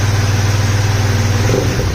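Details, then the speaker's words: Polaris Sportsman 570 engine, first start of build after an intake backfire fire, running with air box lid off: loud, fast, even thrum with hollow sucking edge; owner unsure whether intake noise is normal or due to missing lid. "it's making an intake sound that I don't normally know if that's if it sounds like that because this lid is off and I don't have the lid so not 100% sure on that"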